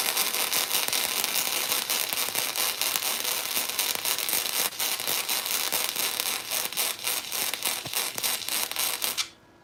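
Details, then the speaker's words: First-ever flux-core weld, 0.030 wire on 1/8-inch material, wire speed 200: harsh uneven crackling and popping instead of a steady sizzle, an erratic arc; 200 judged too slow, raised to 220 for a better result. "that sounds bad. You hear it like, you guys hear it? It's like, more wire speed. 200 is too slow."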